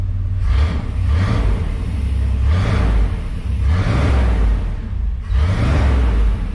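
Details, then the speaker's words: 1993 Chevy Cheyenne work truck after tune-up, ignition timing set by ear without a timing light, unloaded: deep rumble, idle high and surging every second or two; engine running a bit fast, timing uncertain. "fire well it sounds okay I don't know how close I have the timing though we won't really know until we get it under load sounds like the motors running a bit fast"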